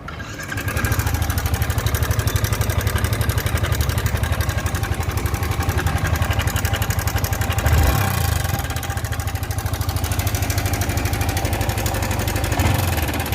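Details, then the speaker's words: Yamaha R15 motorcycle running with a fast, uneven ticking clatter about four beats a second over the idle; abnormal engine noise, cause not yet identified. "Guys मेरे पास गाड़ी आई है आरव 5 और इसके engine की आवाज आपको सुनाते हैं कैसी है तो आप देखिए आवाज क्या है और जिंदगी में पहली बार मैंने ऐसी आवाज सुनी है गाड़ी की"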